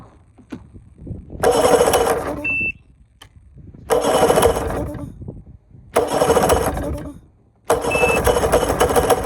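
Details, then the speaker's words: Bass boat outboard, carbs refitted with new gaskets, linked and synced, after badly set timing: short bursts of uneven, lumpy running that die out; it sounds like one cylinder firing, and fuel is leaking. "Okay, it sounds like it's running one cylinder. That's not good. Hopefully I didn't blow it up."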